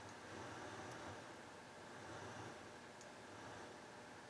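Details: HH Scott R-316 receiver on the bench after a power-amp channel repair, phono input selected, volume turned up: only a soft, steady hiss, no hum or crackle after earlier scratch and bang settled down; ordinary amplifier background noise.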